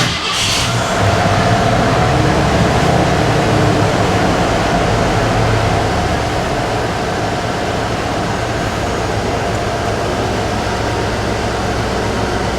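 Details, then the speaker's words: Shop truck after rear gas tank sending unit work: fires right up and settles into a smooth, even idle with no miss or knock; the gas gauge still doesn't work. "runs really nice kind of disappointed that gas gauge isn't working"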